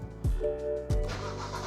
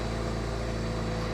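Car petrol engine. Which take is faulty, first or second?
first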